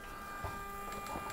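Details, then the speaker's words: Stratasys Dimension BST 3D printer retrofitted with a Smoothieboard, Gecko drive and 48 V supply: X and Y axes jog with a quiet, steady high-pitched stepper hum and faint clicks; smooth, normal motion. "There you go. So, the X-axis moves. I'm going to move the Y axis back a little bit. A little bit more. So, that moves just fine."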